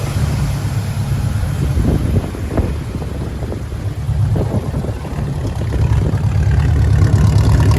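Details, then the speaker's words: 1972 Chevrolet Blazer, 350 V8, automatic, possibly rebuilt motor with dual exhaust: deep steady burble at idle, even lope, no knocks, ticks or misses; normal idle. "Let's take a listen to the engine. Runs nice and smooth."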